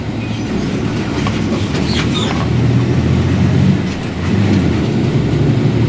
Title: [ENGINE SOUND] Caio Apache Vip 4 Mercedes Benz 1724L com diferencial roncando muito alto